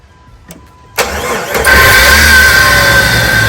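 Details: 1999 Jeep Wrangler TJ Sport, automatic, 144,000 miles: catches after a short crank into idle with steady high whine from the passenger side of the engine; worn alternator bearing suspected.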